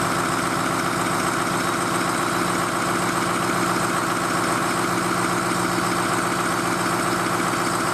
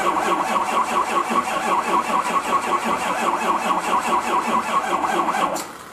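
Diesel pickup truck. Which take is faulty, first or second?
second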